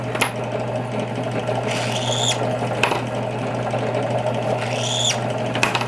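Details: Drill press deburring outside of rifle brass cases with a Kwik Trim setup: steady motor hum with two short high squeals as cases meet the cutter; normal deburring squeal.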